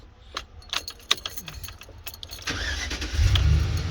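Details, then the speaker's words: 2008 GMC Savana/Chevy Express van, earlier no-crank no-start, after repairing corroded wiring: a few light clicks, then it cranks, fires straight into a steady idle with no immobilizer light; normal start. "vehicle starts and runs no mobilizer light"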